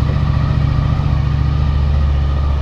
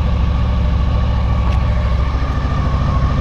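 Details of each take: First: 2000 Honda VFR800 V4, injected, after fixing the ignition coil connector that lost contact over winter and fitting new oil. Steady, even, smooth low-thrum idle, raised, engine still cold, no misses or knocks; all four cylinders firing healthily. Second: 2000 Honda VFR800 V4, injected and restricted, first start after 6 months standing on old fuel. Low, limping idle of about 160 pulses a minute on three cylinders. One cylinder is dead with a cold exhaust pipe.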